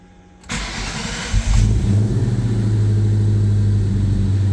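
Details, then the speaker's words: 2004 Mustang Cobra project, original Eaton M112 supercharger refitted, startup tune, first start: short crank, then the V8 fires at once into a smooth, steady low idle with no misses or knocks and good oil pressure. "All right, here goes nothing. See if this 04 Cobra comes back to life."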